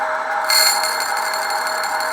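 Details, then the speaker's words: Brown & Sharpe #13 grinder, wheel spinning below full speed: steady high ringing whine, then a sudden brighter hiss as the diamond dresser is cranked in, crosses the clearance and touches the wheel, dressing it. "crank you in now clearance is I'm looking at the clearance it's about to touch you'll hear"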